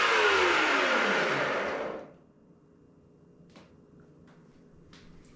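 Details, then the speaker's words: Nespresso VertuoLine making a cup: loud, harsh blender-like roar from the spinning capsule that winds down in pitch, probably due to a bad spindle bearing. "your nespresso virtual line sound like mine when it's making a cup of coffee well it's probably due to a bad bearing"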